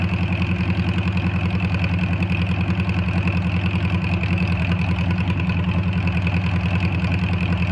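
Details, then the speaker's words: Air-cooled VW Bug after valve adjustment, advanced timing and a retuned carburetor, with the earlier white exhaust smoke now gone: even, regular chuffing at about three and a half beats a second holding steady; healthy idle. "i'm gonna fire it up so you guys can hear it um let me know what you guys think let me know if you hear anything or anything anything that might be concerning or any tips that you guys might have on to make it run a little bit better but uh i feel like it's running uh pretty good right now"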